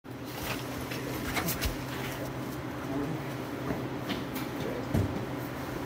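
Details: 1931 Ford Model A idling: irregular light clatter and knocks over the idle, caused by the starter hitting the flex plate; pushing on the starter is used to confirm it.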